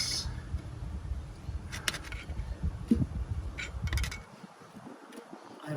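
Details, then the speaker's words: Ford Fiesta engine with cold-start knocking, sump removed: sharp metallic clunks as the crankshaft is rocked by hand, showing excessive crankshaft play; connecting rod bearings checked and found without play. "there is a sound meaning there is an excessive play in the crankshaft"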